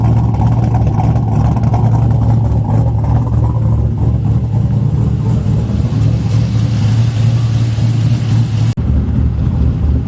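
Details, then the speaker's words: Sludgy 4.8 LS V8 (supposedly about 100,000 miles) swapped into a Miata, tune just adjusted and coolant being topped off and bled: a deep, lumpy idle that dips, stumbles and struggles to catch; the tune is still learning fuel. "Mess with the tune a little bit. It's running a little bit better, but it still needs to learn some fuel things, and the idle's wanting to not catch when it dips down below idle. It sounds pretty good though."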